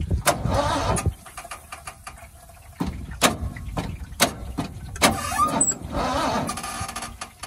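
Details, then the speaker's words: 1979 Ford V8 after being wrecked and overheated: repeated bursts of labored, uneven cranking and no start, with cylinders 1, 2 and 8 said to sound good. "Я слышу, как цилиндры, то есть поршня там, пытаются двигаться."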